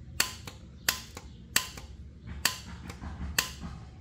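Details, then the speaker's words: John Deere X340 starter solenoid bench test, out of starter case, plunger pressed in to close gap: sharp single clean metallic clicks, five over four seconds; solenoid engaging normally. "okay so now you see the voltage going across to the bottom lug You Hear The Click"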